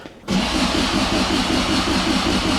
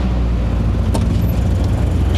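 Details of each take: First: 1972 Toyota Celica, 18RG twin-cam, twin Mikuni 40PHH carbs just rebuilt with new throttle shafts and butterflies: fast, even starter churn for ten seconds that never catches. This is extended cranking while the mechanical fuel pump refills the carb bowls. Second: 1972 Toyota Celica 18RG with rebuilt twin Mikuni 40PHH carbs, cold day: a low, even rumble at about 800 rpm with no stumbles. The idle is normal but slightly low; owner thinks ignition timing may need adjusting.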